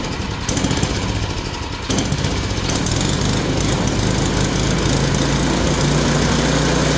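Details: Yard Machine single-cylinder snowblower, previously locked up, converted to pull start because of suspected ground-down flywheel teeth, after adjustment; quick, steady putter with no misses or knocks; normal running.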